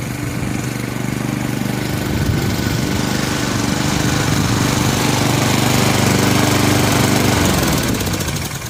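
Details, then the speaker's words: Free Honda push mower mowing grass under load after rear wheel height corrected from dragging; engine speed rises and dips slightly every few seconds, a mild surge; owner plans to let Seafoam treatment deal with it, cause unconfirmed. "surges just a little bit. I think we'll let the seafoam deal with that."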